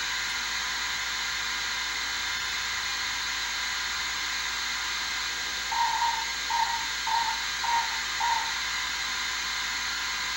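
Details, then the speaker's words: 1978 Bally Midway Sea Wolf II arcade PCB, after replacing 4016 and 4006 sound chips: on firing, constant hiss with buzz underneath never stops, five short chirps over it; torpedo sound seems stuck on, cause unconfirmed. "as soon as I fire the thing it just we got a buzz in the back and then we have it sounds like the uh the missiles of the torpedo sound is like stuck on maybe maybe"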